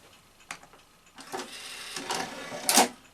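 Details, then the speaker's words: Sanyo VTC-MH5 NTSC Beta Hi-fi VCR after power supply and capacitor repair, loading an empty tape shell: clicks, brief even motor whir, firm clunk; motor speed now sensible, perhaps a shade slow. "that's much more sensible with motor speed if anything possible even a shade too slow"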